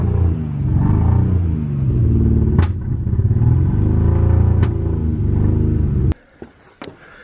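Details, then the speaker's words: Nissan Cefiro A31 RB20DET, long-stored, low compression on compression and leak-down tests, running in second gear on axle stands after a squirt of starting spray, hoping to free it up: deep, uneven, lumpy rumble under load, then cutting out. "So anyway, the crack is I've got a very sick Cef. She's down in compression."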